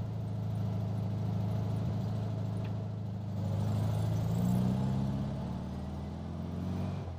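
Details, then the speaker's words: 1967 VW Beetle after intake manifold, carburetor, distributor swap and valve adjustment, after idling a while: even flat-four burble picking up cleanly on throttle, no stumble; runs smoothly though still lacks a little power. "I just had it idling for a little while and it's taking the gas pretty well now. It's not even, no stumble, no nothing."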